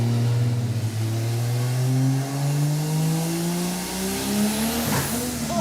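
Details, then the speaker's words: Roadkill 1968 Dodge Charger with swapped Toyota 2JZ turbo engine on a dyno pull: hard pull with steadily climbing pitch, then a sharp bang near the top as something lets go. Too much boost, 28 psi at 4700 rpm, making 370 hp and 419 lb-ft. "9,000 something came out of the front lot of sounds happening so what was it doing it just made too much boost"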